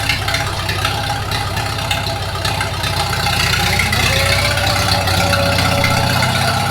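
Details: 1942 Farmall H tractor, hand-crank started in the garage after transmission teardown and repair of a scraping/screeching noise and hard reverse shifting, carburetor not yet adjusted: steady, even low chug with quick regular beat and light top-end rattle; runs smooth, normal running.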